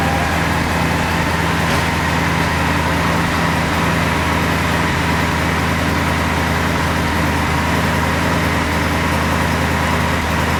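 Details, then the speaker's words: Porsche 928 V8 with a newly finished, welded and tightened homemade stainless steel exhaust (temporary tips), first start indoors: steady, even idle with a deep, smooth burble, no knocks, rasps or leaks, 74 decibels; normal, fairly quiet idle. "That's 74 decibels. It's actually quite quiet in here. Pretty good."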